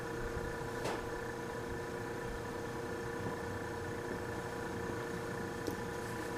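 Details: Vintage Westinghouse fridge compressor started in a cold room: a soft, steady hum with no knocking or rattle, drawing 2.4 amps against a 3.2-amp nameplate rating; frost on a line shows it is cooling; healthy.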